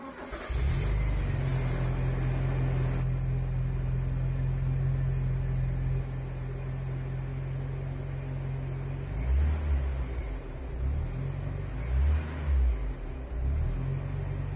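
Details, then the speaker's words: 1984 Porsche 944 after a fuel pressure damper and a DME relay were fitted to cure a rich idle; the engine catches and settles into a smooth, even idle with brief blips and no stumble. "that the 944 runs much better now if you've made it this far you're about to hear the car idle nice and smooth"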